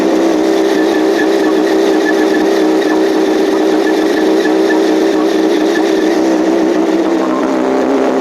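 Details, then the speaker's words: 2007 Yamaha R1 after engine rebuild, first start: even, high-pitched buzzing idle with no ticking or knocking over about eight seconds, slight roughness blamed on fuel trims while the ECM recalibrates to new rings; normal idle. "Okay. Well, no ticking, no crazy noise. The idle was a bit rough, but I'm going to blame that on fuel trims right now."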